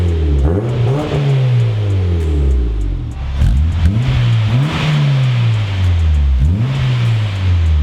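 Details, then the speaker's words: Turbo Honda Fit after new exhaust fitted and exhaust leak fixed, before motor mount swap: several quick revs with a deep, even note, no puffing or ticking; slightly louder with turn-down tip, exhaust sealed. "I think it sounds a little bit louder, a little bit better in the car with the turn down."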